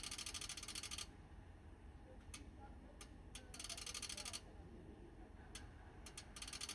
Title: TOPTEK PA-80V/U Dual Band Amplifier – Clicking Noise on 70cm Band